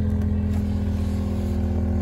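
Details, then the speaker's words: Range Rover L322 air suspension compressor, run with its relay jumpered during a modification trial: constant droning hum with a steady tone over low rumble, no rattles or labouring; compressor running normally, being checked for leaks. "And as you can hear, that's my compressor going. But what I want to do is just double check it's not leaking."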